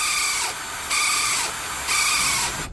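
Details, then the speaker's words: Milwaukee M18 cordless grease gun giving a harsh, high-pitched screech in bursts during operation; fix is to fit the coupling piece between the motor and gearbox. "CU got that horrendous noise you have to forgive the one outside cuz storm D is attacking us today"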